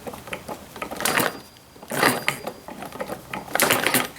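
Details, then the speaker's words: Model hit-and-miss internal combustion engine kit: sharp dry snapping ticks among quiet engine firing bursts; spark jumping through the thin plug lead sheathing to ground, weakening the spark, needs better insulation. "jumping through that thing so that's probably not good i need some other kind of sheathing on that i guess it's so thin too right i can hear it snapping here oh yeah big time that's hampering our spark"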